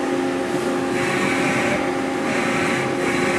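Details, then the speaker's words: CNC machine X-axis jogging during a spindle and axis check before production: steady, even servo whine with a smooth airy hiss and no knocks or grinding; the axis travel sounds healthy. "so this is an x-axis sounds okay everything is okay on it"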